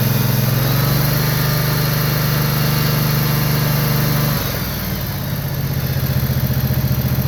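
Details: John Deere Z445 zero-turn mower, 25 hp Kawasaki engine, after wiring repair for a no-charge fault: even throbbing run that dips briefly as speed drops, then settles back to a smooth regular beat; healthy running.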